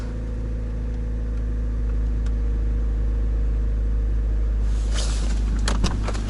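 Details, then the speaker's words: Toyota Rush with 3SZ-VE engine, repaired for knocking a year earlier, cold start at about −20 to −23 °C after standing all weekend: smooth quiet idle with raised cold revs, no knocking; normal cold idle. "Нет тихо работает мотор все отлично слышно только дизель Как работает посмотрим выхлоп ребят машина холодная сейчас будет повышены топливо ладно пусть прогревается"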